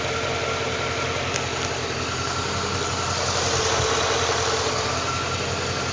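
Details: 2012 Ford Mustang with about 3,500 miles, idling: a constant whir with a slightly uneven underlying pulse at steady speed; rough idle, cause unknown.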